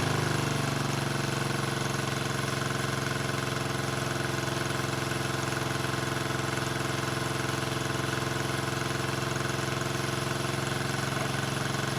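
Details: 1974 Honda CB350F four after 20+ years sitting, fast idling around 1200 rpm: lumpy, loping idle. Only cylinders 2 and 4 fire and 1 and 3 are dead; the owner suspects fuel rather than ignition but doubts his analysis.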